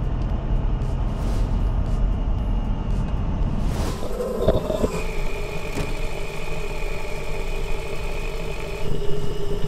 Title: A BAD WHEEL BEARING NOISE